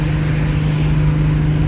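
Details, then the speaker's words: 1970 Pontiac LeMans with 455 Pontiac V8 cruising at the speed limit: steady even drone, no rhythmic whoop; after the original driveshaft was rebuilt with new Spicer U-joints, no more drivetrain vibration. "Yep, she still got it. No more vibration in the drivetrain."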